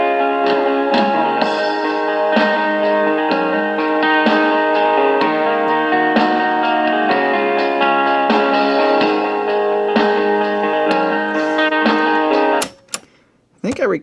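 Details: Panasonic RQ-309S cassette recorder after cleaning and repair: clean, steady guitar music at even speed with no warble, drag or dropouts; the tape mechanism is playing properly.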